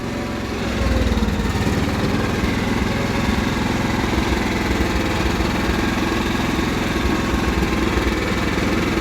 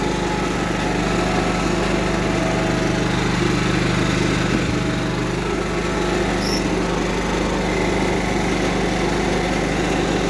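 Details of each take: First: Cub Cadet 1330 mower engine running fast but wavering, with speed rising and dropping unevenly. It began surging suddenly, and the owner doubts it is out of gas. The owner suspects the throttle cable/linkage needs tightening; not confirmed. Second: Cub Cadet 1330 mower Kohler engine, first run after long sitting, with a plastic piece removed from the tank outlet; steady, even beat with no misses or knocks, slight high-pitched clatter on top; runs smoothly.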